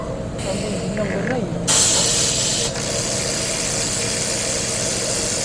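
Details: Hyundai Elantra engine running with a loose, uneven rattle over the hiss of the motor; suspected timing chain noise, unconfirmed.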